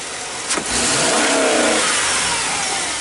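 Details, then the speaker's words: 1998 GMC van after PCM replacement and programming (had high idle, erratic TPS signal), floored: engine pulls to flat high-rev roar, then stops climbing; rev limiter fuel cut. "Oh my god. Hear the change. That's fuel cut."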